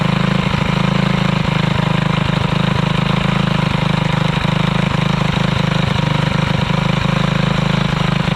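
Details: Alcohol-fuelled 212 single-cylinder go-kart engine, run while chain awaits replacement and engine realignment: steady, even low beat about four pulses a second, no stumbles or knocks; engine runs sound.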